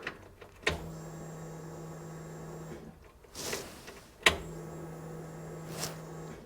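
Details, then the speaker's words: Flooded Corvair converted to custom fuel injection with new stainless/PTFE braided fuel lines, first start attempt: at key-on two low electric hums of about two seconds each, stopping cleanly; normal fuel pump prime. "let's go fire it up all right here goes nothing heard a fuel pump"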